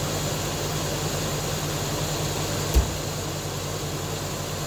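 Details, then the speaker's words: Jeep XJ at idle just after exhaust manifold replacement, brief start-up check: steady, even idle with a smooth low hum, no ticking or puffing, a lot quieter than before; exhaust sealed, normal idle. "a lot quieter than before"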